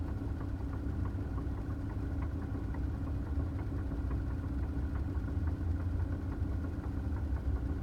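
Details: 2009 Toyota Tacoma at idle: quiet low rumble with faint, fairly rapid light ticks on top; weird noise, cause not identified.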